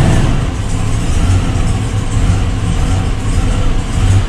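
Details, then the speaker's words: Old white truck after an oil and filter change: deep, uneven engine note while revving, with a lumpy flip-flop stumbling beat instead of a smooth rise. Still has a miss; spark plugs to be pulled and cleaned. Engine misfire. "you're here it's like real flip flop flip floor it's definitely still got a mess in it without a doubt"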